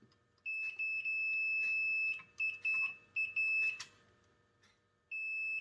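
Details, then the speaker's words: PS5 disc drive micro switch continuity test: steady high multimeter beeps in uneven bursts because the switch is already held on; switch itself tests fine. "yeah it's always on the switch is already on that's why we're getting beeps everywhere"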